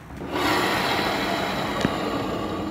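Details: Honda Beat scooter with coarse noise when revved: steady gritty rushing roar from the CVT side; CVT cover opened to check, pointing to a worn CVT bearing.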